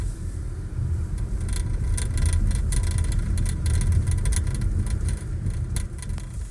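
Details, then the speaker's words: Küat Piston roof bike rack on a car driving over bumpy roads: irregular sharp metallic rattles over a steady low road rumble, from a loose rack; worsened over the past month. "I do have a major gripe with this rack and that is the amount of rattling noise it generates particularly when driving on bumpy roads"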